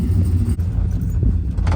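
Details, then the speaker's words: Truck with replacement engine from another truck fitted with stage 3 cam after previous rod knock, driving on the road: deep steady V8 rumble, even beat, no ticks or misses; about 60 psi oil pressure; running normally. "Well, judging by how this thing runs, hopefully I'll be good for the summer if I don't mess up. Yeah, it's running nice."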